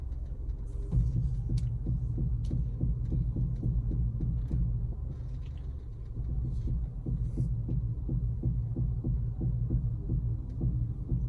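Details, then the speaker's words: Honda CR-V while steering: repeated low clicks and knocks under the engine hum, louder the slower it turns, from a worn strut mount bearing; the noise returned after a previous replacement part. "estralinho que dá ao esterçar e quanto mais devagar você vai o mais alto faz"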